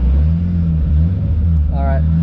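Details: Nissan S14 with a swapped RB25DET straight-six, after fuel-related failure fixed with a new fuel filter, fuel line to the pump and O-ring: runs smoothly with clean, even throttle blips, no misfire, stumble or knock.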